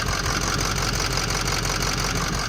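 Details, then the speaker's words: Ford 6.0 Powerstroke diesel from auction: rough, uneven idle with an irregular knock-like stumble; number six injector dead, also broken MAP sensor hose at intake and boost-pressure-not-detected code. "so we got our map sensor hook up to the intake is broke off obviously like I showed you so we got to fix that we have a down injector so that needs fixing"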